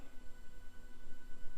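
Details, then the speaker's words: Tesla parked in a garage, not charging: faint, steady high-pitched whine at one pitch with no rhythm, noticed recently; source unknown, owner first thought it was battery charging. "like a high-pitched frequency coming from my car now I notice that recently since well my car has been in this garage"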